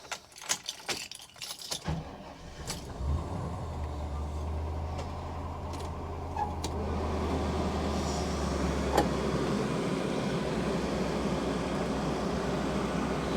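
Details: 1999 Chevy P30 / Forest River Georgetown 303 RV after AC repair and system evacuation, engine started at idle in driveway, max AC: steady low engine hum with smooth even blower rush; AC runs normally, vents reaching about 55°F.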